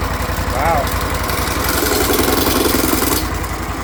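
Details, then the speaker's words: Briggs Vanguard repower in a Kawasaki Mule, first run after the backwards pump hookup was corrected: it settles into a quick, steady putter of about three to four beats a second, running evenly and super quiet; the owner guesses some odd noises come from the clutch. "I don't know what those noises are. I guess that's in the clutch. It's super quiet, I'll tell you that."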